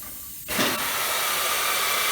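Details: Tire machine's pneumatic bead-breaking jaw, pulling the handle up to bring the jaw in: sudden sharp air hiss holding nearly two seconds then cutting off; normal air cylinder stroke.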